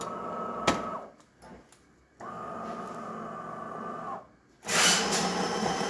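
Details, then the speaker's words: DeLonghi Primadonna espresso machine after a tune-up with a new water pump and brew unit, plus descaling: two steady motor hums from the brew unit drive, then a rush of water through the group; normal brew cycle. "as you can hear the machine is turning the pins now on the back of the machine they passing them into the bridge unit the new blue unit is inside then it gets compacted by the transmission"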